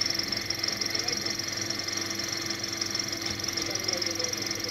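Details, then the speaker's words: VW Polo 1.4 TDI idling with the AC on: a thin, high chatter at about three beats a second that disappears when the AC is switched off; a faulty AC compressor clutch. "climatisation est allumée, vous entendez ce bruit, maintenant il est déconnecté et le bruit disparaît, ici le problème dans ce véhicule particulier est avec le compresseur de climatisation, en fait est qu'il ya un problème avec l'embrayage"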